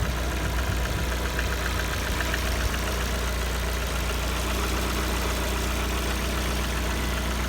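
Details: Lada Kalina 1.4 petrol at 70 °C coolant, warm idle: a faint, fairly regular light tapping over the engine hum; the engine knock's source is unclear and the owner wonders whether it needs an overhaul or can keep running.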